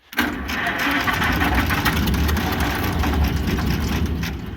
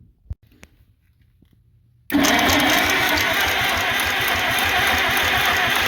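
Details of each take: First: International Harvester McCormick 64 pull-type antique combine engine, long-forgotten, first start: catches almost at once and settles into a somewhat uneven low chugging run, with oil pressure; old engine starts and keeps going. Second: International Harvester McCormick 64 pull-type antique combine engine, starter just refurbished (brushes polished, greased, oiled): after a pause the starter grinds in and spins steadily at a fast whirring beat without firing; long crank, no start.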